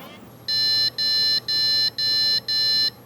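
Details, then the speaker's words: PC at power-on with graphics card removed, CPU without integrated graphics: five short evenly spaced high beeps, same code as monitor not connected, keyboard still alive; no graphics card detected. "그래픽카드 없을 때도 모니터가 연결 안 됐을 때랑 똑같은 비품을 내네요. 짧은 비품 5번 났거든요 지금."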